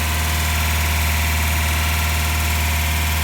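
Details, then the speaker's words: Toyota pickup 22RE on first start with new LCE Pro EFI cam, pro street cylinder head and LCE header, held near 2500 rpm for cam break-in, ignition timing not yet set: even fast-idle drone with no top-end ticking or clatter; valve train sounds good. "Valve train sounds good. I haven't set the timing yet."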